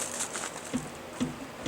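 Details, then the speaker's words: 2011 Chevy Impala: three dull clunks about half a second apart as the rear wheel is yanked by hand and moves outward, from a worn rear strut. "You can hear the clunk. You can see the wheel moving outwards."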